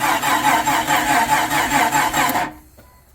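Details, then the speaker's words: 1999 Jeep Cherokee, freshly rebuilt engine, first start attempt: even starter cranking at about four beats a second, trying to start but never firing. Battery dropping to about 10–11 V. "We should check for a spark. So we'll check for spark here, and if that doesn't work, then we'll start checking fuses, I guess. Because it's trying to start. It's just not firing."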